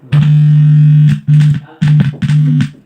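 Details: F&D F8000U speaker after replacing the faulty aux input sockets, whose bad ground had caused no sound: music plays cleanly with full, steady bass, no crackle, hum or dropouts; the aux input now works normally.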